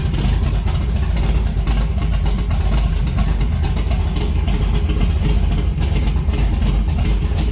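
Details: 1982 Chevrolet S10 that sat since December 2023, running cold: a deep loud idle with an irregular stumble, low vacuum, and 60 psi oil pressure. The engine breaks up off throttle. A bad plug wire or vacuum leak is suspected. Engine misfire.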